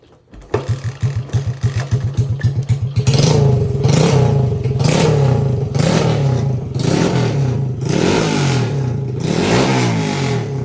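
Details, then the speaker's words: Honda XR80 engine in a shifter kart, kickstarted on choke, revving to about 10,000 rpm: a few popping kicks, then a crisp, even rev with no knocks or misfires. Normal running. "Oh, it sounds so good. It literally sounds like a little race car. 10,000 RPM on this little engine."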